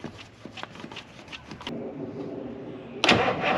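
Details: 1981 International Harvester diesel snow plow truck that sat for years, after using the fuel primer: steady starter churn for about two seconds with uneven compression beats, then it quits without firing. Cranks but no start; the owner suspects it ran out of fuel.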